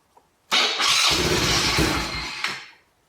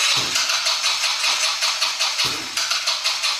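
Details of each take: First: 2020 Yamaha Grizzly 90cc ATV, choke off, parking brake on: few seconds of hissy cranking and sputter, never catches; lean no-start, suspected blockage deep in carburetor restricting fuel. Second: 2020 Yamaha Grizzly 90cc kids' ATV that only ran on choke, after carburetor fix, 80°F: couple of quick cranks, catches and settles into steady even chuffing; starts and idles fine.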